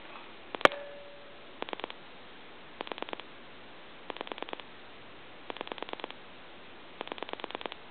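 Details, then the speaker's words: Gulf-logo gas pump telephone after repair, dialing through the numbers: crisp clicks in tidy bursts, about ten a second, with even pauses between digits; normal pulse dialing. Before repair it dialed fives on its own. "I'm going to end it at two I'll let you hear the pulses and then I'm going to hang up give you some dial tone"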